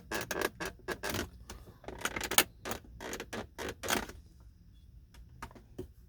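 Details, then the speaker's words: 2011 Mercedes-Benz R350 interior: irregular dry crackling creaks in short bursts each time the armrest is pressed; loose, poorly fitted trim creaking under load, armrest creak. "imagine driving and you just want to rest your arm and then yeah that's uh that's no fun"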